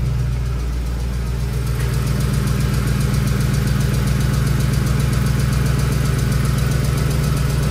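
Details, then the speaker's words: Ford 5.4L 3V Triton V8 truck at idle: a constant soft, rapid tick present from a cold start, resembling an exhaust or valvetrain tick, caused by a loose early M16 Motorcraft spark plug that needs 25 ft-lb torque. "Almost sounds like an exhaust leak. Almost sounds like a valve train tick, but the wrap from the tick is not as sharp as it would be with a metal roller follower."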